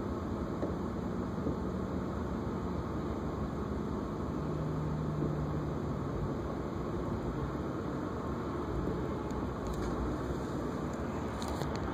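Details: BMW E36 with M52 engine, warm idle at a red light after a 25-minute highway drive: RPM wanders up and down with rough running and whole-car vibration; not present on cold starts, cause unknown.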